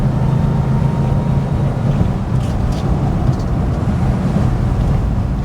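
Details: 1974 Rover 3500S V8, after mechanical repair work, on the road: deep, steady V8 rumble pulling evenly, no ticks, knocks or exhaust blowing; engine sounds healthy under load.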